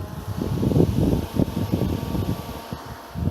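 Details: BMW 318i, clutch fan converted to toggle-switched electric radiator fan, hood off: low, uneven whooshing airflow rumble with no rattle or scraping; electric fan spinning normally.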